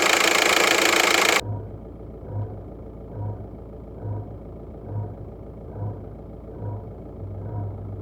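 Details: VW 1.9 TDI 105 hp diesel at idle, noise from the right side: dull low thud repeating about every 0.8 seconds over the diesel rattle; source unknown, owner asking for the cause.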